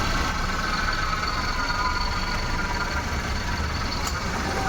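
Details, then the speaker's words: Maruti Suzuki WagonR petrol/CNG with the check engine light on, idling on petrol with the AC on: a steady, even hum with no stumbles; it misfires only when switched to CNG; normal idle on petrol. "गाड़ी petrol पे missing नहीं है"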